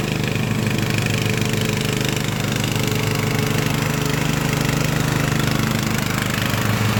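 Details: Craftsman LT1000 riding mower after Briggs & Stratton engine swap, warmed up, test mowing tall grass with unsharpened used blades: strong, even drone with steady firing beat holding speed while cutting; healthy.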